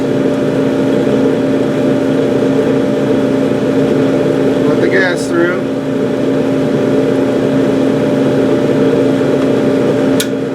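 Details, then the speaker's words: Gas clothes dryer with its burner lit, running normally: steady motor hum over a soft rushing roar as the igniter glows and gas valve coils clunk open; coils often fail, so heat doesn't stay on. "You're going to see that get that glow here in a minute. Hot enough, you'll hear these things clunk."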